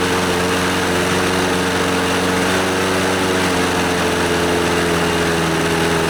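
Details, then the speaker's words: Scotts lawnmower, Briggs & Stratton 6.5 HP OHV Intek Edge engine, after carburetor and fuel-system cleaning and a new NGK BKR5E spark plug: steady, even drone with constant pitch and no misses or surging; it runs well and is considered fixed. "yeah it seems to run pretty good let's so I'll replace this nasty old air filter and we will call this a fixed lawnmower yeah baby"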